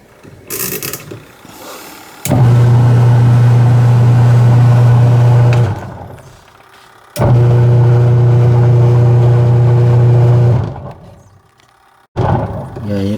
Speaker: what i'm going to do today is to check this washing machine what is the problem why it's noisy and the impeller or rotary blades is powerless when turning